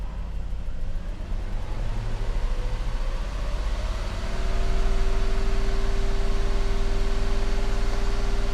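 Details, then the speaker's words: 1990 Mercedes 560SEC (W126) after replacing both fuel pumps and the fuel filter to cure stalling: engine revs smoothly to a higher steady speed and holds evenly with no misses, running healthy. "She can go all day like that, folks. Look at that."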